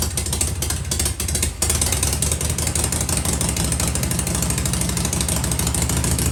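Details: Harley-Davidson Shovelhead V-twin running with pipes covered to hear the motor: loose, lumpy, low even beat settling steady, very quiet with no ticking or rattling; engine healthy, normal running.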